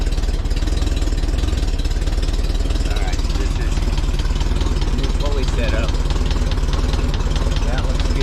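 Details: 1961 VW Beetle air-cooled flat four idling after a worn aluminum pulley was replaced with a stock steel pulley, stainless bolt and new 905 toothed belt: steady rapid chugging, no knocks, squeals or belt chirp; pulley and belt running smoothly.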